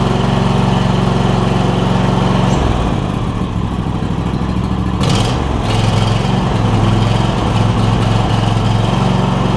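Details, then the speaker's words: John Deere E140 lawn tractor with a newly swapped-in Briggs and Stratton V-twin engine: slow, slightly loping idle pulses that shift briefly with throttle; idle set a little low, to be adjusted. "seems like it's idled a little low but we can fix that as well"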